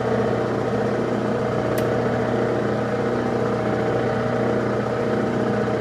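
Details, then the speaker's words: Lathe cutting a 3/8-24 thread for a Jacobs chuck arbor: steady droning hum with fluttering rough edge at constant speed from its two drive belts, slightly loose and slipping. "That noise you hear is my belt. I got 2 drive belts, and when they get a little loose, they start making that noise."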